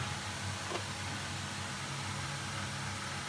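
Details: Potterton Performa boiler after unblocking a sludged plate heat exchanger: steady, even burner roar with soft fan hum, no popping, banging or kettling; firing normally on hot water with tap running.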